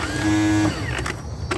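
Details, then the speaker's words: Kohler Courage engine on a Cub Cadet lawn tractor, cranked before any oil was added: a half-second high whir with no engine cranking, then loose clicks. The starter spins without engaging; the owner calls it a Bendix issue. "you got a Bendix issue all right all right no point in putting oil in it fellas"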